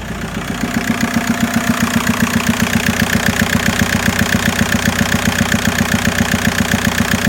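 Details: Mk4 Golf 1.9 TDI PD150 (ARL) diesel idling: hard, regular chuffing pulse about 2.5 per second, mainly from the airbox area; also down on power, mixed smoke, boost drops from 2 to 1 bar above 3k rpm, heavy breather blow-by.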